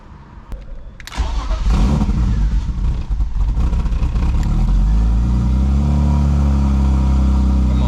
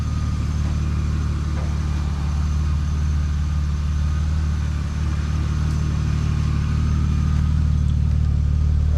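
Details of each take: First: 1999 BMW E36 328i starting: cranks, catches, then stumbles with an uneven, lumpy idle that never settles. The check engine light is on and the owner thinks the rough idle caused it; cause not confirmed. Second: 1999 BMW E36 328i six-cylinder idling after replacing the pulley, AC belt and hydraulic AC belt tensioner: smooth, steady low hum with an even rhythm and no belt squeal or chirp. Normal idle.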